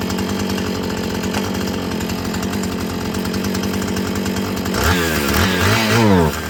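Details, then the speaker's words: Filthy Husqvarna 445 chainsaw, primed and drop-started: steady buzzing idle, then throttle blips where revs climb unevenly and sag instead of snapping up. Bogs on throttle; mechanic suspects it needs carburetor adjusting and cleaning and hopes the old diaphragm softens up. "I don't know about you guys, but to me, it seems like maybe just a little carburetor adjusting and some cleaning. This will be a easy fix, huh?"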